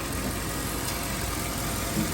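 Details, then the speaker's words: 2011 Mercedes-Benz GL450 V8 after A/C compressor serpentine belt replacement and oil filter housing seal repair: smooth, constant engine hum, no knocks, squeals or belt chirp; quiet belt drive, runs cleanly. "driving like new it's really great engine this made by Mercedes"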